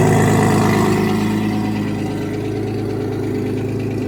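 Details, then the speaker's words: Porsche Boxster with forged Audi 2.7T twin-turbo engine, first start in months after sitting: fast, light, regular lifter tick over the low idle rumble, keeping pace with the engine; it has not gone away with use. "So basically, when I started up, it's got a lifter ticking, which isn't the end of the world, but obviously I'll need to sort that out."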